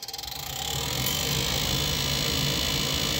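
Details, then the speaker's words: Noisy inducer motor on a Goodman furnace (no-heat call, short cycling): steady whirring drone with a thin high whine on top, no knocks. Inducer still pulls proper inches of water column; suspected dust and debris inside the motor, motor replacement planned. "But what I think could have happened is all the dust and debris got inside that motor and that's what's causing that sound."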